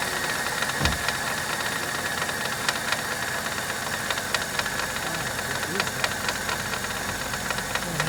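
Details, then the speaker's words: 2000 Dodge Caravan idling, timing chain ruled out: sharp irregular ticking over steady idle from the front belt and pulley drive; owner suspects new tensioner or water pump, hoping it quiets once warm; not confirmed. "let's see if it doesn't quiet this noise this could just be a new new tensioner or new water pump phenomenal so to speak"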